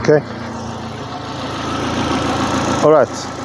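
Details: Opel Corsa 1.4i Utility, about 93,900 km, restarted with new Topran idle air control valve fitted: steady, even petrol idle with a smooth low hum, no hunting or stumbling. Normal idle.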